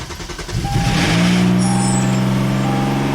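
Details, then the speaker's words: 2011 Hyundai Genesis 3.8 L after crank-no-start repair, fuel supply line nuts tightened: brief starter whir, then engine catches and settles into a steady even idle with no knocks or misses. "there it started baby so as you can see the hyundai just started"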